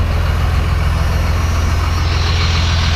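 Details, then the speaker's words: 1994 Cummins P-pump diesel with extra timing and fuel, idling warm after a 22-degree cold start: steady low even clatter, no knocks; cold it can't burn the fuel, but warm it runs fine. "as you can see once it warms up it's really nothing it's just it's just when it's cold you know it's you can't uh can't burn the fuel we got no heat"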